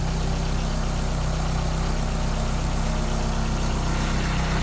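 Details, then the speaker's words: AE86 with a Blacktop 20-valve engine swap, started after fitting a trimmed radiator: steady, smooth idle with no misses, knocks or rattles; running well. "said we fire it up see what happens she fires up pretty well"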